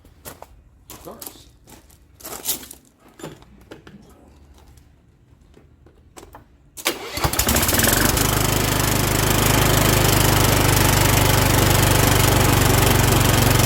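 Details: Kohler Courage 20 engine on a Cub Cadet LT1045 tractor with around 500 hours, just after valve cover gasket replacement, valve lash adjustment and a new spark plug: after handling noise it fires quickly and runs steady and even with no ticking or misfire; normal running.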